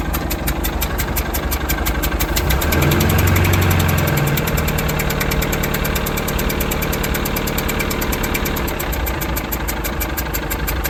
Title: 2002 Mercruiser 3.0 alpha one clicking/ticking noise